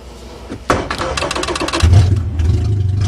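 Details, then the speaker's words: Suzuki Swift, rolled over, restarted on a makeshift fuel system with tubing run through the cabin: brief crank, then it catches and settles into a smooth steady idle, starting readily; normal start and run. "Oh yeah, simple as that. Works perfect. This thing fired up great this year."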